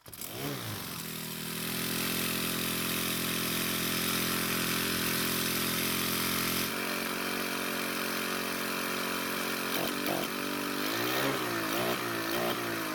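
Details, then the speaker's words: 4-cycle string trimmer (model 41EDT57C966), hard to start cold but starts and runs when hot; after priming with fuel it catches and holds a steady buzzing idle, then blips up and down. Weak air filter base flexing. "so the problem is exactly how they described it starts and runs when hot but getting it started when cold is the main issue"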